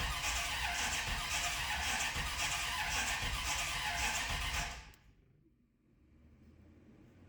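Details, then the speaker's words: 1988 or 1989 Corvette that sat over winter, with the fuel pump hot-wired because power was not reaching it: even starter churn about four beats a second, never firing; cranks but will not start, starter good. "Doesn't seem good. The starter's good too."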